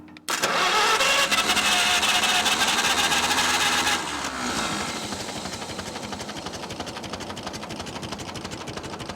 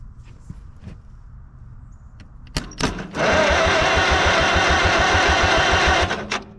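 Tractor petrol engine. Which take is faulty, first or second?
second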